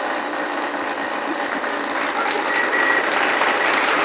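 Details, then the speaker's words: 20 hp Mercury outboard running steadily in a test tank after a no-spark fault was fixed by removing a wrongly connected ground wire and repairing corroded orange wires; steady even buzz, no misses, pumping water, healthy running. "we got start we got it running"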